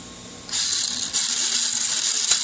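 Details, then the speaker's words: Motor and pinion gear mesh after reassembly, small gap visible behind the pinion in the transmission case; steady high-pitched whine with even gear hiss, owner unsure if slightly loose, not too tight, sounds close to right. "I don't know if that sounds too loose. I definitely don't think it's too tight, because I can even see the gap with my eye."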